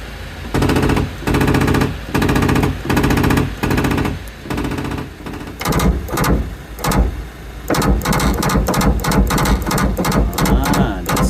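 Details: Ford Transit Mk7 van power window closing with harsh, rapid clattering in bursts and failing to close fully, from a faulty window regulator; after replacing the regulator it closes without noise.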